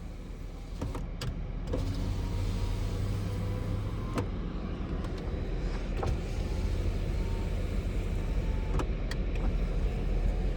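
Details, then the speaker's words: 2007 Suzuki XL7 AWD with a 5-speed Aisin automatic. All four power windows, run from the center-stack controls, give smooth steady electric motor hums with no grinding or clicking. Normal window operation, no odd noise. "And they're not making any odd noise."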